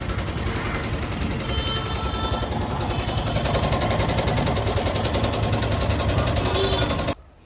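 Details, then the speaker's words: Royal Enfield Himalayan 411 single, typical after about 25,000 km: fast sharp tick-tick from the engine head over the running beat, rising slightly with revs, stopping at shutoff; valvetrain ticking, blamed on the tensioner. "Himalayan 41 లో like most of the users కి ఒక major problem ఏం తెలిసిందంటే like 25,000 kilometres తర్వాత ఒక 25 తర్వాత మనక ఏం ఫేస్ వస్తుందంటే ఇంజన్ హెడ్ నుంచి ఒక నాయిస్ అనేది రావడం వస్తుంది టాకిల్ సౌండ్ టక్ టక్ టక్టక్ ఈ సౌండ్ రావడం అనేది చాలా మంది నోటిస్ చేసి ఉండొచ్చు."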